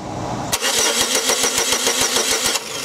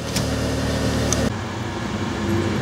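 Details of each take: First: 2002 Chevy Cavalier with no scan tool communication and no check engine light: starter cranks steadily but no spark jumps between the GM coil towers, engine not trying to start; crank no start, no spark. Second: 2002 Chevy Cavalier after a crank-no-start with no PCM communication, traced to a fuse: engine now starts and idles cleanly with a smooth, even low hum and no misses or knocks.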